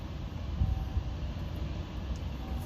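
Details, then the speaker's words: Honda Acty HA4 mini truck: broken plastic vacuum barb at the coolant-heated thermal valve leaks vacuum, giving an uneven, lumpy idle that won't settle; fix is replacing the thermal valve. Rough running from vacuum leak. "But we're losing vacuum, so it's kind of running crummy."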